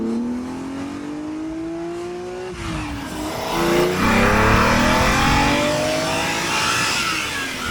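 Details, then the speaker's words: Ferrari Daytona Spider V12 on a road test after repair: under hard acceleration a smooth, clean rising howl through the gears with no stumble or popping, all twelve cylinders pulling evenly. "it speaks to you standing still this car it says love me admire my beauty then you do this and it takes on a whole different character"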